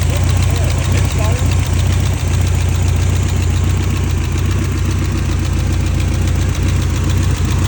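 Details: 1989 BMW E30 M3 with S14 engine; low, steady idle with occasional uneven stumbles and dips in the exhaust beat; rough idle, suspected misfire, cause unclear.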